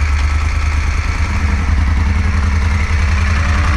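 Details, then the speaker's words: 2016 Moto Guzzi Griso 1200SE V-twin after ECU remap, warming toward 60 °C before throttle body balancing: deep, loping idle with an even low thump and light mechanical clatter, running smoothly; normal idle. "okay I don't know if you can hear me but the bike is running not running too badly at all"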